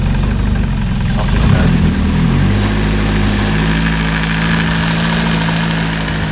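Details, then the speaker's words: Freshly swapped Nissan KA engine at its first start after the swap: steady, slightly lazy idle with a deep even thrum and no misses; sounds good but idles a little low. "Local KA connoisseur, yeah, it sounds good. It is idling a little low."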